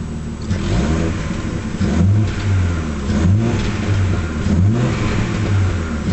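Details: Nissan Skyline being revved repeatedly: choppy, stumbling pulses with sharp pops between blips, from misfiring and backfiring.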